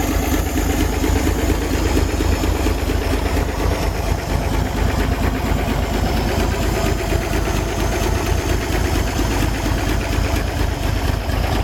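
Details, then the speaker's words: 1962 Chevy K20 truck engine just started after cylinder head rebuild with lapped valves and a new exhaust valve: loping idle with an occasional uneven skip in the exhaust pulses; owner hears a slight skip, a slight misfire. "it's hard to tell but it sounds like it's got a slight skip to it aside from that I'm pretty darn happy"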